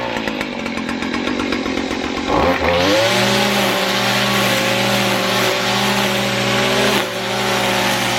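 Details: Weed eater that bogged down, after the fix: after a brief sputter it catches and settles into a clean, even buzz with steady pitch and no bogging; normal running.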